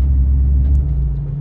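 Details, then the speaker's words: Ford Ranger 3.0 Power Stroke diesel, 175,000 km: deep, steady droning rumble seeming to come from the gear lever/gearbox, worse with 4x4 engaged; customer thought gearbox, but the source was elsewhere. "Escutou esse barulho do câmbio aí? Pois é, Ford Ranger Power Stroke com 175 mil quilômetros rodados. O cliente veio até nós relatando esse barulho absurdo aí no câmbio. E quando liga a tração, o barulho piora."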